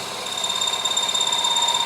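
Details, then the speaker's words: Milling a rounding die for a press, end mill taking cuts of thousandths at a time while boring: steady high-pitched cutter whine rising slightly as the bit starts contacting and cutting — normal light milling cut. "From there, I can hear I'm starting to make contact. You see it starting to cut."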